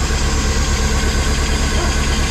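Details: Pinzgauer first start in about 3 years after fuel pump replacement: even, steady low idle with a smooth regular beat and no misses or knocks; the engine is idling healthy.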